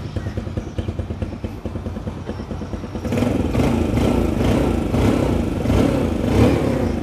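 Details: Used 2018 Yamaha Sirius, blue-white with custom paint, custom rims and a stock exhaust, odometer around 8,300: it catches about three seconds in and settles into a steady, even idle with no knocks or misfires; normal start and idle.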